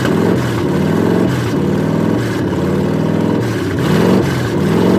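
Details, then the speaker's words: Squarebody V8 with Summit 1103 cam, Edelbrock Performer aluminum heads, Super Victor intake on a 2-in spacer and 600 CFM carb: loud, lumpy idle with coarse tractor-like chuffing. Header flanges are rotted off where welded at the cylinder head, causing an exhaust leak. "I got to change these manifolds or these headers cuz the flanges on the cylinder head are rotted off where the they're welded, where they meet to the head. And it sounds like a tractor."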